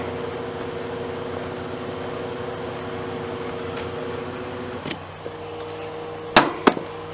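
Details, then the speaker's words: 8,000 BTU, 8 A air conditioner powered by a Harbor Freight 100 W solar kit: steady compressor and fan hum whose tone shifts slightly partway, then a few clicks; running normally. "and surprisingly it runs it it is a uh 8 Amp 8,000 watt V 8,000 DT AC feels good anyway it runs"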